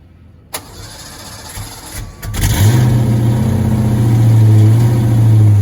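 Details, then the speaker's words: 1986 Ford Mustang GT V8, original roughly 40–50k miles, sat for a long time, first start: long crank before it catches, then a lumpy, loping uneven idle; hard start and rough running, misfire suspected, cause unknown. "misfiring. It's just running really bad. And I'm going to find out what's going on."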